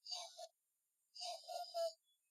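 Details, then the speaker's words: Build-A-Bear recordable voice box: the recorded voice plays thin and tinny, drops out for about half a second, then returns choppy; the batteries are getting weak. "yeah I think these batteries must be getting weak or something because it sometimes cuts out yeah it drops quite a bit"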